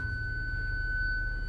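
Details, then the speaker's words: 2006 Land Rover Discovery 3 with rear-only parking sensors: selecting reverse gives one steady high-pitched tone instead of pulsing distance beeps, and the sensor button LED flashes. Parking sensor fault warning tone; sensors not working. "okay so we do have an issue with our parking sensors uh they definitely don't work"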